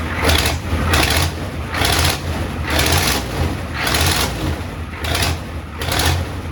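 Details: 1994 Ford F-250 IDI diesel first start after sitting years, no antifreeze: idling with sharp puffing ticks about once a second; huge exhaust manifold leak, owner thinks one side's manifold cracked.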